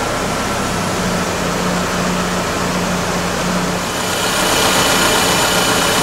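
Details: 2001 GMC Sonoma 2.2L with replaced engine, idling after coolant leak repair to check for drips: smooth, steady idle hum staying even, louder fan rush near the end; normal healthy idle, no new leak.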